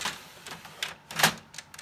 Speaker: Push it back. You want to hear it click. See, my printer came on, so you know that it's in the right position.